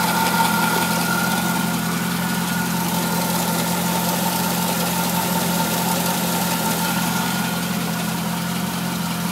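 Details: Corvette C5 V8 idling steadily with a light, somewhat uneven tick about three a second, heard underneath the engine toward the front near the harmonic balancer; cause unknown.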